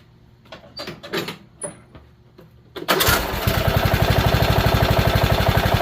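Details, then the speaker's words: Engine with gasoline in the crankcase: after a fumbled start it settles into a steady run with a rapid even knock about four times a second underneath; engine knock, cause not confirmed. "Heat. You got to hear them knocking it."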